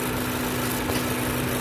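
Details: 2014 Ford Focus, 150,000 miles, idling with the purge valve hose disconnected: a faint steady hiss over the engine hum as the stuck-open purge valve sucks air, causing a lean condition, check engine light and bucking; a vacuum leak through a faulty purge valve.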